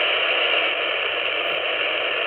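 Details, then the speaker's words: Ham radio handheld tuned to a repeater output: steady hissing static with a buzzy edge and no voice; interference from the home router, tied to Ethernet network traffic, gone when the router is unplugged. "and it has has to have something to do with traffic on my ethernet network so time for a new router"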